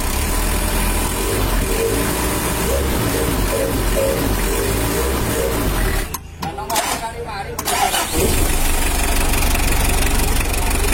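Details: Mitsubishi L300 diesel after engine rebuild: steady clatter about four beats a second, even apart from a short dropout; engine sound smooth and compression solid.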